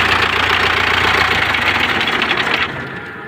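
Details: MTZ tractor with a D-243 diesel engine at idle: rough idle with a regular knock around 220 per minute. A newly appeared knock inside the engine, cause not yet known.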